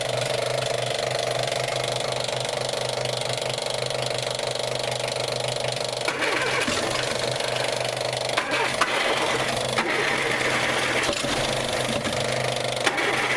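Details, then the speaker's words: Old engine, sat unused, running on fuel poured into carburetor: catches and runs fairly evenly, then turns ragged as fuel runs out; fuel pump heard pumping but suspected not delivering fuel, line possibly blocked. "wow okay that's that's good Richard I heard it it sounded pretty good too"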